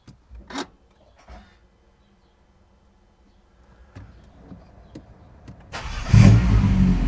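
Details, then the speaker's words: Peugeot 308 GTI first cold start after replacing the Valvetronic variable valve lift motor: clicks, then engine catches with a stumble and loud rough roar before settling to a smooth idle. "Had a bit of a hiccup when it first started. It sounded very loud."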